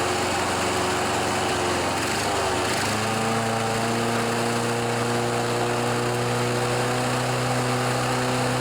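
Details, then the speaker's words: John Deere 14PB mower, Kawasaki 5.0 hp OHV engine, after sitting outside and a carburetor clean and rebuild: it runs unevenly and surges, then its pitch drops and steadies once the blade clutch engages. The owner says the carb is actually working properly. "so some of you might think because of that surging sound that the carburetor isn't working properly"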